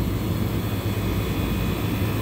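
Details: Walk-in freezer condensing unit while refrigerant is added; fan cycle switch cut in around 260 psi, sight glass flashing: constant deep rumble with steady airflow, no knocking or rattles from compressor and fans. Normal running.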